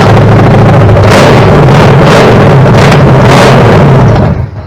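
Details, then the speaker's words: Chevy 327 small-block V8 on a homemade run stand, first start after 15 years stored with fogging oil; loud steady fast idle for about four seconds then abruptly dies, fuel starvation as the carb isn't letting gas into the float bowl. "not getting any, it's not pumping up in the fuel. It should. Run longer than that, huh? Yeah, it should run longer than that."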